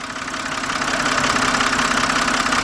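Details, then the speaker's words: 2007 BMW 328xi, engine running, stethoscope on a fuel injector: crisp, rapid metallic clicking of the injector pintle opening and closing, showing a good injector; the engine ticking complaint is not heard at the top. "All right, now if you heard that, you actually hear the pencil of the injector actually opening and closing. A nice, crisp, metallic sound. And that's how you know your injector's good."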